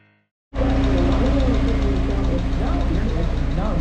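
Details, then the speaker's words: 1962 Willys CJ5 Jeep after revival, freshly tuned with new exhaust and milled manifold: steady even low idle, smooth unbroken exhaust beat under music; healthy and settled. "running like a top now got it tuned up fresh exhaust we're gonna take her down the road for the first time and who knows how long"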